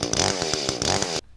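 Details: Echo CS-310 chainsaw at low speed after cleaning a plugged spark arrestor screen: crisp, rapid, clean two-stroke burble with even pulses, no longer muffled; running normally.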